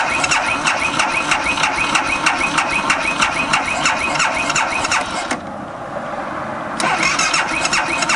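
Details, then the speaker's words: 2012 BMW Sertao G 650 GS, about 3,150 miles, cold at roughly 41°F, recurring starting problem: steady fast starter cranking with a whiny high tone, a pause, then more cranking without catching; decompressor lever suggested as a possible cause. "She's in a I don't want to start mode."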